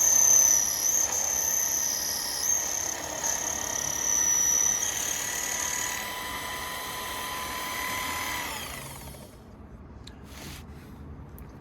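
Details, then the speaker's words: 1981 Craftsman/Sherline 3-inch micro lathe, model 527-2142, with AC motor: high steady whine that sags in pitch as pressure goes on the bar, then winds down; motor bogging under load, owner thinks a DC motor would do better. "because as soon as i put pressure on this bar the motor i don't know if you could hear it on the video but it slows down a bit"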